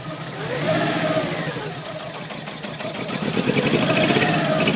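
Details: Mk2 Golf GTI 8v: starts first time, then catches and revs unevenly, stumbling and hunting under load with a ragged beat before stalling, and afterwards won't restart; misfiring.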